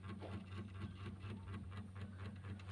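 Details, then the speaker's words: Two-door Sharp fridge, dead for about a year: defrost timer running in standby, low steady hum with faint evenly spaced ticks, no grinding or stalling; stops when defrost terminals 1 and 2 are shorted; normal defrost timer running. "tuh ada bunyinya Nah itu bunyi timer ini mesin dalam kondisi standby"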